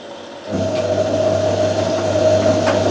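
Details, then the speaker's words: Hotpoint 9530 washing machine after fitting new carbon brushes and cold double solenoid valve, main wash tumble: smooth, even motor hum and steady low drone with no scraping or brush crackle; new brushes still bedding in, sounds healthy. "yeah the new brushes are definitely sounding probably because they're very new they need to wear"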